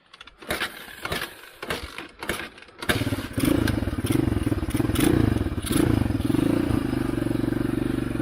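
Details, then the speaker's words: Chinese ATV abandoned for seven years, first start after reassembly with fuel on and choke: several cranking bursts, then it catches into a lumpy, uneven idle on choke, backfiring heavily. "Backfires like crazy."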